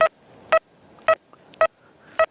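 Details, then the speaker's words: XP Deus mk1 metal detector, full hammered penny within a millimetre of a 3-inch nail: five crisp identical mid-pitched beeps about two per second; clear, strong target signal despite the nail. "Right now, what we'll do, we'll put a full hammered penny within a millimeter of the nail and check again. Clear, strong signal. No problem at all."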